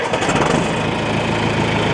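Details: John Deere 310A backhoe diesel on first start after an oil and filter change: steady, even clatter at idle with no misses, knocks or hunting; healthy, no leaks.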